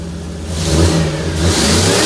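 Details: 2001 Silverado 6-litre V8 with a big truck turbo added: engine blips up and settles back smoothly with a firm, even burble and no misfire, knock or rattle. It is possibly running a little rich.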